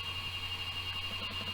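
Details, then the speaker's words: Mosci Gyrocam gimbal booted without camera mounted: constant high-pitched whine over low hum; motors overtuned and oscillating because camera load is absent, door partly steadying it. Always boot with camera mounted. "Can you hear that noise? What's happening now is it's overtuned."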